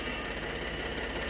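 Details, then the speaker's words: Ford F150 EcoBoost, rough-running, at idle: an even, non-pulsing hiss over the engine note near the damaged spot. It is a vacuum leak from a broken vacuum canister (not the brake booster), likely hit in a wreck. "If you listen around this area, you can hear a vacuum leak."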